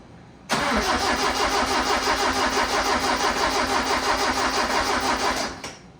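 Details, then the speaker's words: Custom-built engine on carburetors with a straight distributor (no vacuum advance) at its first start, with the fuel pressure regulator being adjusted. It cranks about three beats a second for five seconds and never fires, seemingly sparking right. No fuel reaching the carbs through the manual pumps. "Is there fuel coming? >> No, >> I cranked it quite a ways open to try to get more, but it's just these silly manual pumps."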